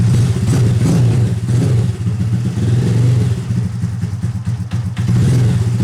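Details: Rebuilt Honda Grom engine after the exhaust valve was reset tighter (0.007 in feeler gauge) on a rough tune: starts, idles and revs cleanly with no valve tick; idle is unsteady only until warm.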